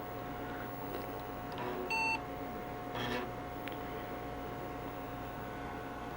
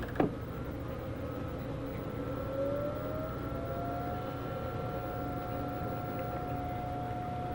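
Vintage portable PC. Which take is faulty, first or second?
first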